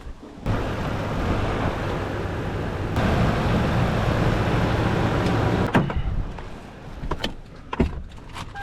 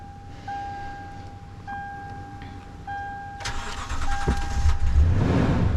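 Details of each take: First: 2011 Toyota Tundra 4.6L V8 that had a battery installed backwards, after the main fuse was replaced, while being jump-started: the starter cranks steadily for about five seconds but the engine never catches. It cranks but does not start. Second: 2011 Toyota Tundra 4.6L V8 after a battery was installed backwards, with the main fuse replaced and the blown 10A ETCS fuse swapped for a 30A spare: dash chimes, a brief crank, then it catches and settles into a steady, even idle.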